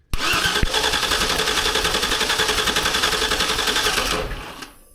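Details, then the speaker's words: Chevy Tahoe V8 with a suspected dead cylinder (number four throwing raw fuel, either no ignition or no compression): cranked on the starter for a compression test. It spins at a steady, even rhythm for about four seconds without firing. Cylinder reads 180. "Let's do a compression test on it right here while I can get it the starter and uh just crank it over."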